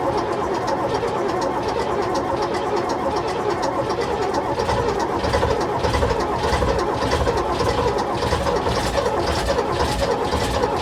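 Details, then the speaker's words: AEC Matador 7.7 litre diesel, in neutral on a cold day, after overhauled injection pump and injectors refitted: steady starter churn, about two compression pulses a second, never fires; air in fuel system suspected. "Close, but no cigar. Right, we got to remember that the entire fuel system's been apart. So, I'll blow out what air I can, but it's still going to take a bit more work."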